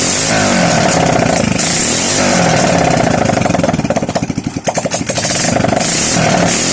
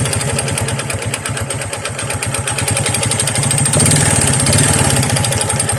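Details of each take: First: Honda XRM 125 single-cylinder after overhaul with new connecting rod set: catches and settles into fairly even idle with a brief blip, no metallic knocking; normal idle. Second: Honda XRM 125 single-cylinder before overhaul, original connecting rod not yet replaced: hard regular knock about three per second over idle, busier as revs rise; connecting rod knock, later fixed with new rod set.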